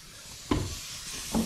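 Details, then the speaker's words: Basement pressurized water pipe leak in a 12-unit apartment building: steady fine hiss of water spraying from an unseen leak, with thumps of someone moving about, before the main is shut off. "I hear something. I see water. I hear it spraying. I just don't see it."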